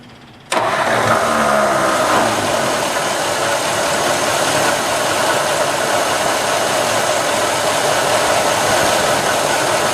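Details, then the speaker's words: 1954 Ford Skyliner old V8 after carburetor rebuild, carb still needing tuning: fires quickly and settles into an even, steady idle with no misfire or knock; runs well, though engine is leaking oil and transmission is low on oil. "Oh, she runs so good. Alright, yeah, we gotta get that oil leak fixed."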